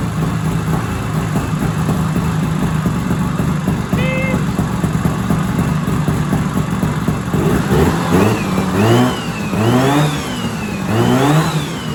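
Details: 1970s Sno-Pony snowmobile, 340 twin-cylinder two-stroke, after sitting 20–30 years with a rusty tank and hard fuel lines: steady idle then quick blips, pitch climbing and falling cleanly; engine runs and revs healthily.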